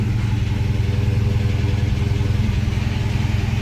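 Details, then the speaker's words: Dodge Charger SRT Hellcat, owned two weeks, at start-up: rough, loud idle with a steady tick of about 3.5 per second over the rumble. Owner says it does not sound healthy and believes the engine is blown, cause unconfirmed. "That does not sound healthy. Let's hurry up and get to the dealership. Look at my gas tank, full too. Damn. It's loud. You can hear that ticking sound, right?"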